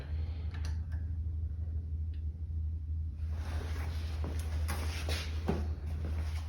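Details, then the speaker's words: Mega Moto 212 minibike with modified Predator Hemi engine and Mikuni carburetor, after idle-speed adjustment following stalling: low, steady idle hum under handling clunks, no longer dying. "Finally got it running. That's a huge relief."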